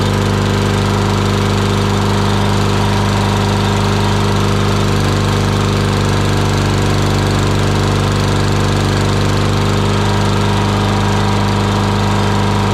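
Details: Murray lawn mower single-cylinder engine after carburetor cleaning of debris from dirty fuel, full throttle: steady, even drone with a firm low throb and no misses or surging; runs healthy.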